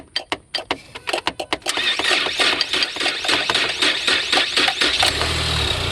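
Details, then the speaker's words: 2018 Ford Explorer, under 30,000 miles, that won't crank even when jump-started: sharp metal taps on the starter with a rod, then it cranks and catches to a steady rumble; relay replacement suggested. "Oh. Wow, really won't start."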